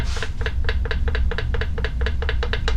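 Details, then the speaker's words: Removed K03 turbo from Audi TT Quattro rocked by hand: sharp metallic clicks about five a second; excessive shaft play, worn bearings, with oil gummed around return line, bad turbo seal. "that's the sound of shaft play ko3's have a little more shaft play than other turbos but not that much"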